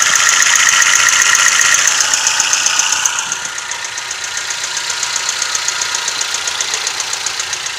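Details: Toyota 1NZ-FE engine: sharp even metallic ticking about four per second over quiet idle; top-end knock, timing chain or VVT-i sprocket suggested but unconfirmed.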